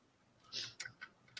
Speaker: Yeah, it's pushed the nut out the other side.